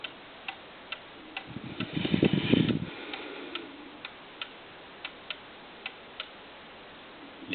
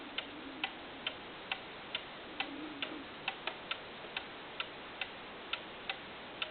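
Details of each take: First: 8-day Herr cuckoo clock with adjustable verge (slip joint), early-1950s design, ticking evenly at about two beats a second in its very small sweet spot (in beat), with a brief thump as it is set down level. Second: 8-day cuckoo clock with adjustable verge tilted off its very small sweet spot: crisp ticks about two a second become uneven, tick tick ticktick, out of beat; the slip-joint verge can be adjusted to put it back in time.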